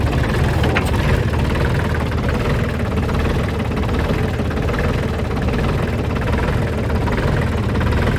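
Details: 2003 New Holland TC29D diesel tractor started after sitting three years, with a new battery and injector lines cracked to bleed; low, steady diesel clatter at an even idle with no misses or surging.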